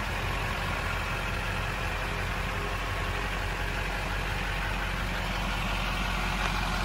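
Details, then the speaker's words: 2005 Chevrolet Silverado 2500HD 4x4 automatic, 6.6 Duramax diesel, 20,000 original miles: just after a quick, easy start, the idle is an even, steady, very quiet diesel clatter with no misses, knocks or hunting. Normal diesel idle. "quick easy starting duramax very quiet [Applause]"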